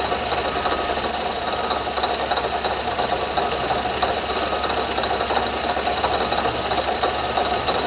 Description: I heard a noise coming from under my hood that keep getting louder and decided to get my camera and investigate.